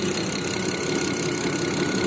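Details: Even, steady idle with a smooth hum and no stumble; 2008 BMW 535i xi after replacing the soldered #1 fuel injector driver in the DME, which had caused a cylinder 1 misfire that shut down cylinders 1–3; now running cleanly.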